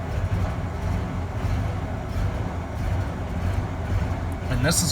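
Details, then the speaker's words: 1994 Ford F-150, 4.9L straight six, 5-speed manual, just after a cold start: deep, lumpy idle that hunts and wavers, smoothing after about a minute and only when cold; failing idle air control valve, to be replaced. "we are going to try it again see if we have a rough idle on start there we go draw final it should smooth out here in another 10 seconds 15 seconds"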